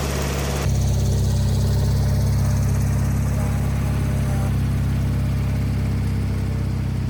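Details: Wheel Horse 520H hydrostatic tractor on its own gas tank after back-purging it, started by jumping the solenoid with a weak battery; steady, even low-pitched engine beat holding speed with no misses or knocks; test drive successful, runs great.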